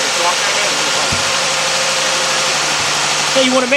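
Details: 2011-2015 Jeep Grand Cherokee 3.6 after water pump replacement: smooth, even idle with a faint belt whine and steady hum, no knocks or misses; engine running normally.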